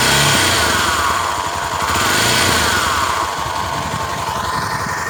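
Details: Honda Tornado XR 250 at idle after a dirt-road ride, heard near the right side of the engine: a rough, buzzy rattle and hum that tends to fade as revs rise; cause unknown, possibly worn timing chain guides, teardown planned.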